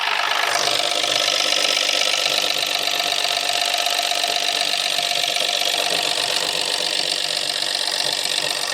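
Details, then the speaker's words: 2017 Ford C-Max 1.0 EcoBoost, 74,000 miles, driven about 200 miles with oil light flashing, light still on at start: harsh, raspy metallic rattle around four beats a second over idle; engine damaged internally. "We start it up. See, oil light is still on. Now, this doesn't sound healthy at all."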